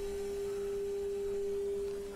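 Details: Sansui G-7500 receiver FM tuner tested with signal generator at 1 and 2.5 microvolts: clean, steady mid-pitched test tone without wavering or hiss; tuner tracks well, clear FM reception, no alignment needed.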